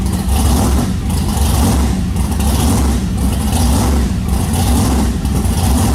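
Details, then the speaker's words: Rebuilt blown alcohol-fuelled big-block Chevy with Dart heads and shaft rockers, in a truck on a chassis dyno: deep heavy roar holding steady under load with a slow even swell about once a second; healthy normal running. "so I'll insert a clip of this motor on the dyno at Steve Morris's on the chassis Dyno in the truck so that way you guys can hear what this thing sounds like"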